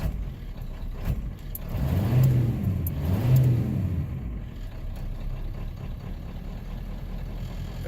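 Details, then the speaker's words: 7.3L diesel truck prone to rough idle on startup: started after the glow plug light goes out, the engine rises briefly under a throttle blip, then settles into a steady, even idle. "Everything's fine. Sometimes it'll straighten itself out, but that time I gave it a little gas."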